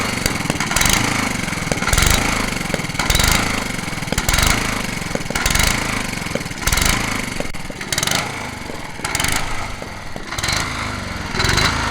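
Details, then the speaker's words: Honda HRH 536 HXE professional mower, carb cleaned; loud metallic clanks about once a second over a rough-running engine; owner thinks it is not the connecting rod and suspects the blade clutch, unconfirmed. "quand même un sacré bruit métallique on dirait pas la pielle quand même je vais voir au niveau de l'embrayage"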